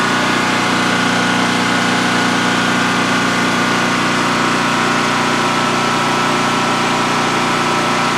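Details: New DuroMax XP15000HX generator in a shed, second start-up on propane with the exhaust fan off: a smooth, constant hum at fixed speed with no knocks, hunting or rattles during a 5-minute test run. Normal healthy idle, no issues.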